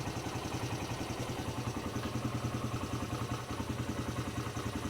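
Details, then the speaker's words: 2006 Polaris Hawkeye with new belt, started with backup recoil starter on dead battery: small single chugs at steady idle, about three and a half even pulses a second, no misses or clatter; normal running. "well it wasn't fun but it did start with the backup recoil starter"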